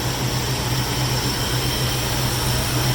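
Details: 1983 Oldsmobile Cutlass Hurst/Olds 15th Anniversary Edition, 307 high-output V8 with automatic transmission, 85,805 miles on the odometer, hood open: steady, smooth idle with an even low rumble, no ticks, knocks or miss; normal idle.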